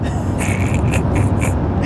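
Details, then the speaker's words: Ford AU ("Betty") towing a folding camper in rain on the road; the windscreen wiper mechanism, at about 330,000 km, started squeaking. Rhythmic high chirps about twice a second over the cabin rumble, one per wipe. "So, Ian has just experienced the ultimate betrayal from Betty. I'm not sure if the camera's going to catch this sound. Why she started squeaking?"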